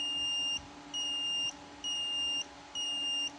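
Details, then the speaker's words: Photocopier digital sensor on a tester via jumper wires: four high, steady beeps about a second apart with the LED lit, confirming the sensor works. "Nah, kalau ada bunyi bip lampu menyala itu tandanya sensornya bekerja."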